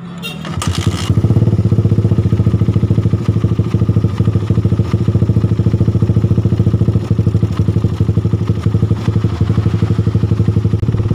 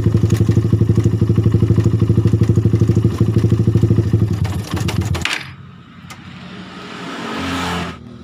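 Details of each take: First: Suzuki Satria FU after repair: the rough knocking around the cylinder head, caused by a damaged cam chain tensioner, was fixed by replacing the tensioner. The engine now starts and settles into a smooth, even idle with no ticking or rattle. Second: Suzuki Satria FU motorcycle idling with a rough metallic ticking (klotok) around the cylinder head; suspected worn or damaged cam chain tensioner letting the cam chain go slack, noise comes and goes.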